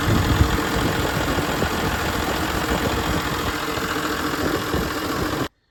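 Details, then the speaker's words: John Deere 7520 tractor diesel with hard start and variable rough idle, clear test hoses on fuel lines: uneven, wandering idle beat; air visible in the fuel lines, including some going into the injection pump. "Okay folks, we got a 7520 here and we have a hard start issue along with a rough idle. It sometimes runs better, sometimes it runs worse. It just kind of depends."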